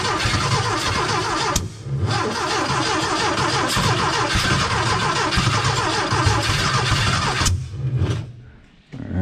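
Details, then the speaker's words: Porsche 914 with new 2-liter engine, first start attempts after squirting fuel: starter spins in bursts with a few chuffs, a puff of flame, never catches; no start. "not having it not not on the first go like we were hoping huh"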